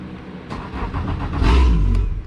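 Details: Boat engine that would not turn over, after cleaning the ground and positive connections on the battery switch, set to one battery: brief cranking, then the engine catches and rises into a steady, even idle; a clean, healthy start.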